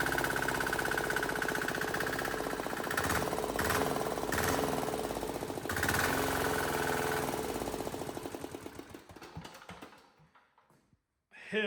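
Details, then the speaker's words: Cheap Chinese small diesel swapped into Wheel Horse 314H tractor, newly mounted, after no-start diagnosis and priming: clatters at a steady quick beat of about four knocks a second, then dies away; runs evenly, nothing amiss. "yeah man has this thing been a struggle I'm so glad to hear that thing run"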